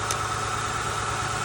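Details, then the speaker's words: Honda Accord misfiring on about four cylinders: with one ignition coil unplugged the idle turns uneven and lumpy with a faint steady whine, showing that coil works. "that means that the coil is actually good and it's doing its job so we'll go to another one that one's doing its job"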